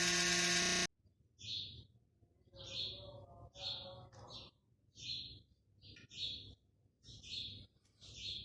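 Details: PC motherboard cooling fan: loud, harsh buzz for under a second, then quiet with birds in background; noisy fan suspected of needing cleaning and a few drops of light oil on the rotor shaft.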